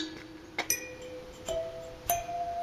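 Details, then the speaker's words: J79 turbojet cutaway display engine, rotor turned slowly by hand; scattered glassy, chime-like pings from dirt trapped in the cases striking the compressor blade tips, ringing because the blades are seized solid in the discs. "That sound you hear is dirt trapped in the cases hitting the ends of the compressor blades. It's quite musical. The reason they're musical is because they're seized solid in the discs."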